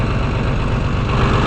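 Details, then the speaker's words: Engine with choke fully in, not quite fully warmed: low, even idle with a steady beat, no ticking or misses, little engine movement on worn motor mounts; valves may still need work. "So here she is with the choke fully in, probably not quite warmed up completely yet. Motor is still reasonably steady."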